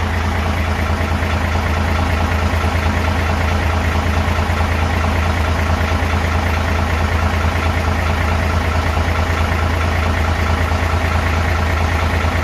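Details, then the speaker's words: Hino truck, J08E six-cylinder diesel, 600,000 km, valves never adjusted, recorded at the front before adjustment: idle with light even tapping about three per second over the low rumble; valve clearance above standard on every valve. "เดี๋ยวเรามาฟังเสียงก่อนทำการตั้งวาล์วนะครับนี่คือเสียงด้านหน้านี่คือรถฟีโน่นะครับก่อนที่จะทำการตั้งวาล์วรอมาทำการเก็บเสียงก่อนนะครับ"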